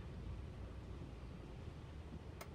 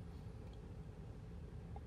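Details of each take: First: 2008 Toyota Tundra 5.7L stalling at hot idle with no codes; deep slow lumpy idle around 200–300 rpm nearly dying, alternator voltage dropping; carbon-fouled throttle body suspected of starving air. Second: 2008 Toyota Tundra 5.7L V8 that stalled at hot idle with no codes, after cleaning carbon-fouled throttle body: quiet, even low rumble with no surging, stumbling or dips; steady smooth idle; considered fixed.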